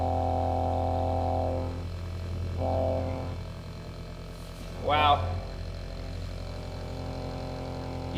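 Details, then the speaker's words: TurboWerx Spartan quiet turbo oil scavenge pump (12 V, max 3.5 A) on a bench test: low, steady electric hum with a faint buzz, quiet and even; significantly quieter than the old pump. "about can't even yeah it's significantly quieter that's for sure"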